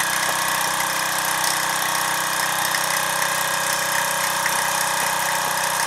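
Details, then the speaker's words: Mamod SR1 steam roller, about 1963–66, aluminium wheels, bent fork rod straightened: light, even chuffing about twice a second over steady hiss, quiet, no knocks or rattles; normal running. "What a great runner."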